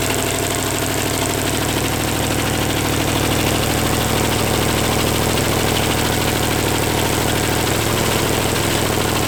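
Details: Chevy 283 small-block run with only one cylinder head fitted: lumpy, uneven idle with loping beats about three a second and a ragged exhaust, plus lifter tick; the owner suspects a vacuum leak pulling air somewhere. Not confirmed.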